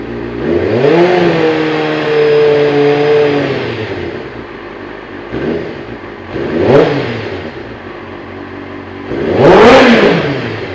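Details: 2007 Kawasaki ZZR600 four-cylinder first start after spark plug change: engine catches and revs cleanly in three smooth rising and falling blips, no misses or knocks; healthy.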